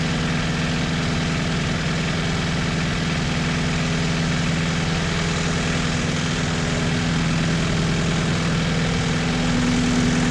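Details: 1986 Toyota MR2 AW11 parts car at idle after the last of many vacuum leaks was fixed: even, steady idle with a regular low pulse, no stumbling or hunting. Starts and idles normally.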